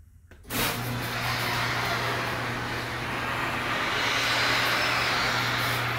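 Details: Garage door running: a loud, steady, low honking drone like an elephant's groan for the whole travel; source not clear.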